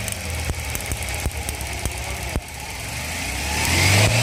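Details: Idling petrol engine with a cylinder misfire: it stumbles with sharp, uneven pops about every half second, then revs up; the ignition coil is being checked.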